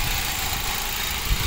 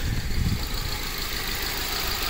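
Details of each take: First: Ford Focus after new spark plugs, coil packs and valve cover gasket, check engine light still on: steady, even idle with light quick injector tick, no lope or stumble, little engine vibration; all cylinders firing cleanly. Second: 2008 Ford Focus at idle after spark plug, coil pack and valve cover gasket replacement: uneven lumpy idle with shaky low thump and vibration; misfire, running on three cylinders, unplugging one fuel injector changed nothing.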